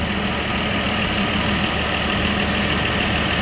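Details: 1963 Chevy II inline six, long parked, started after the fuel pump was primed and began pumping fuel. Steady, even idle with a smooth continuous drone and no misses or knocks; normal idle.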